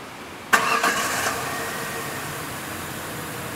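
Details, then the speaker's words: 2005 Ford Ranger 3.0L with a flashing check engine light and misfire code, tested with an in-cylinder pressure transducer: crank-and-catch, then an uneven, lumpy idle; one cylinder misfires because its exhaust valve is not seating. "this is a bad valve that that valve is not seating"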